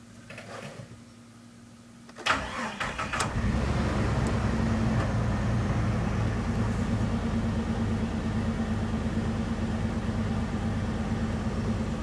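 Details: Jeep TJ Wrangler petrol engine cranks, catches and settles into an uneven, stumbling misfiring idle after use of Seafoam.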